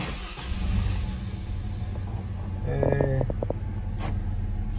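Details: 2003 Chevrolet Trailblazer at cold idle after replacing the failed engine coolant temperature (ECT) sensor, which had caused cold misfires and faulty oxygen sensor readings: a steady, smooth low idle with a brief chime, no stumble or misfire, running cleanly.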